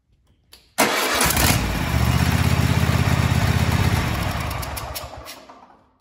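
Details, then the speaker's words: Kohler KT735 24 hp twin, 7000 series, on a Cub Cadet mower: starts and runs with lumpy beat, then a swishing leak sound right at shutdown; blown head gasket suspected, before disassembly. "okay so you probably heard that swishing sound at the end we're going to go ahead and start disassembling this and we're going to get into the head"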